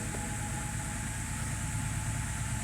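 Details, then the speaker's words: 2010 BMW 528 (N52) no-start, cranking always cut at cylinder one, number one ignition coil disconnected: engine now starts and idles steady with a repeating low thump and slight lope, running on five cylinders. "how about we try taking number one away let's see what that gives us"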